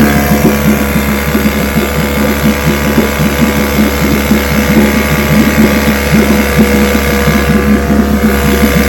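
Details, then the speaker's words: Vintage restored-then-repaired outboard, Monday start test after the fuel valve was opened with the engine already primed; old two-stroke buzzing at a steady pace with an even, crisp firing pattern and no misses; 5-minute run done; runs properly. "Watch your start right up. Just going to put it on start and motor runs perfect."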